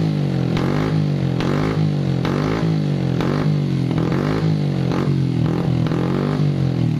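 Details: Honda Supra X 125 motorcycle engine surging and stumbling in uneven pulses with spitting bursts and no power; valve noise also present; spark plug already replaced and carburetor cleaned; misfire caused by retarded cam timing (timing chain slipped).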